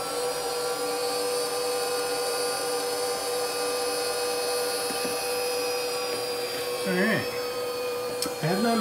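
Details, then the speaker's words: First run of a new 110 V 1.5 kW water-cooled 65 mm spindle on a Huanyang inverter, cooling not hooked up, settings untouched: steady, even high whine at one pitch, no rubbing or rattle; normal. "So I don't know if that was its full capacity, but even if it was, I would not be that disappointed given the fact that this is 110 volt, not 220."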